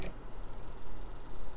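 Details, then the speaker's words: Small drive motor of an LED USB-powered fireplace simulator, a few months old, run alone after its gears were relubricated: a low steady hum with a faint rough ticking buzz; the bearing in the cheap motor is suspected. "yeah it's coming from the motor itself that helped a little bit re-lubricating these help a little bit but it's the motor sounds like it's the bearing"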